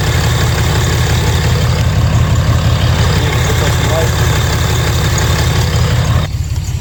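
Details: 2012 Ram 3500 6.7 Cummins diesel after yearly fuel filter swap, primed three times and restarted: deep, steady clatter at an even idle, no hunting, misses or stumbles; running fine, no leaks.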